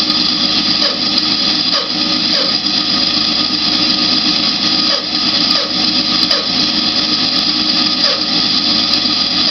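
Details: New Grizzly G0513X2B band saw running; harsh hissing whir with a faint, slightly uneven repeating tick, motor getting very hot, too hot to hold a hand on, while the cover stays cool; abnormal running noise.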